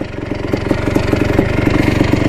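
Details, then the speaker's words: 1987 Yamaha YZ490 two-stroke on a test ride after carb work and new fuel: crisp, even popping at a steady quick rate with no stumble. Not as boggy and burning a lot better, normal running. "definitely not as boggy now looks pretty good burning a lot better now that we've got the new fuel"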